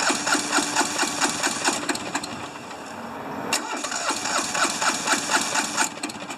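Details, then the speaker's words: Hinomoto diesel tractor, once stuck, cold at about 40s °F: chugging at about 130 beats a minute, some strokes harder than others, uneven firing with one cylinder hitting better. Owner suspects injectors, compression or glow plugs. "i think it's got one that's definitely hits better than the other"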